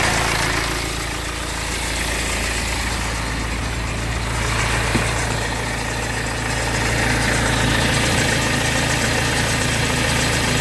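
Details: BMW 520d diesel: steady idle with a light, regular ticking rattle about four times a second. Suspected timing chain noise, but the owner is unsure.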